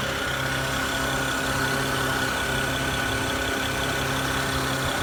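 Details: BMW 335i with a constant airy hiss near the alternator, intake and throttle body, steady in pitch over a smooth idle; source unknown.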